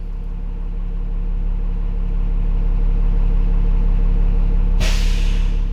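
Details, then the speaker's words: School bus diesel idling during a pre-trip air brake check: after building to 110 PSI at 1500 RPM and dropping to normal idle, a steady rumble ends in a sharp air hiss as the governor cuts out the compressor; normal. "Reduce to normal idle and listen for the governor to shut the compressor off."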